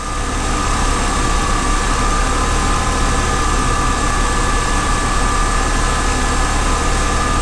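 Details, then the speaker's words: BMW E30 six-cylinder race car after cooling system flush and refill: steady even idle with smooth low hum and faint high whine, no misses or knocks; running well, coolant level steadier. "oh yeah this is the the definitive proof that she's running well"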